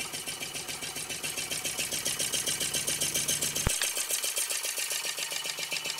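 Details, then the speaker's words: DIY Stirling engine on first run after a wobbly start, smoking off the displacer, running better: light even ticking at about 220 per minute with a crisp high rattle on top, no knocks; smooth, healthy, quiet run. "oh yeah it's running better now oh yeah sounds a lot more like what it should sound"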